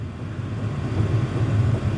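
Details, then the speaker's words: Diesel heater in a van on its first burn, flame lit and starting to give heat: steady low, even whoosh from the blower with no ticking, scraping or surging; heater fan running normally. "Now, I'm getting a little heat out of the blower here."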